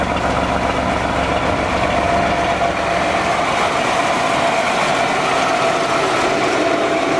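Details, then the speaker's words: 1994 Chevy Astro van, started after about 6 months sitting on a warm day, heard at the rear: steady, deep, even idle with no knocks, misses or ticks, running slightly rich, sounds like a V8; healthy idle. "Sounds like it's got a V8 under the hood. I love it. Good old blue."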